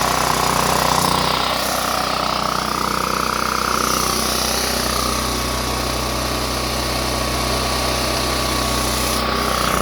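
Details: Power Mate VX generator after carburetor and fuel bowl solenoid cleaning, switch on, running unloaded to burn off roughly eight-year-old gas: steady, even drone with constant high tone, no surging or misses.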